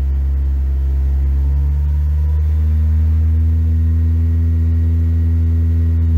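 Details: Volkswagen Voyage G5 1.6 after replacing the upstream lambda sensor with a new NTK unit, engine near 90 °C: deep even hum rising smoothly with revs, no stumbles or shaking. Acceleration improved, no more trembling; remaining noise is normal lifter ticking.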